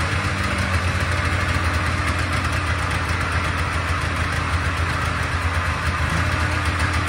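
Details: Polaris Trans Sport snowmobile two-stroke after its first start in 10 years, on choke: a steady burbling idle with a crisp fast beat, running evenly but smoky; a healthy first start.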